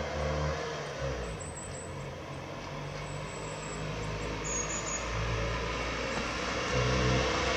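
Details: Old Citroën Acadiane bought unseen in Germany, repaired on the spot and driven on a December day. A steady, even engine note with no knocks or misses. It runs fine but is slow to gain speed and needs adjustment.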